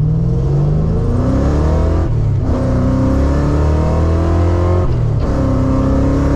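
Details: Tuned 331 stroker V8 in a manual GT, test drive after a failed brand-new part was replaced; revs rise steadily through two clean gear changes with no missing or popping, smooth and healthy.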